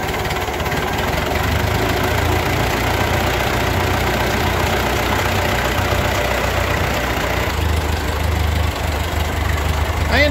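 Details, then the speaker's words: Ford 8N tractor after carburetor rebuild and governor adjustment, warmed up: very slow, even idle chug with no knocks or misses. Idle screw ended about three-quarters of a turn out, slightly richer than spec. Normal idle. "I'm sitting here at idle at about seven four is just crazy slow this sounds plenty slow over anything I need to do"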